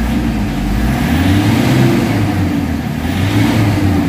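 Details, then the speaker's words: Toyota Fortuner diesel in the shop, no check-engine light: dull, uneven drone that stumbles and lacks pull, low power, suddenly jerking and dying around 1000 rpm as fuel supply cuts out; fixed by replacing a clogged fuel filter. "Okay, so low power, loss compression. Tapos bigla siyang kumakadyot bigla."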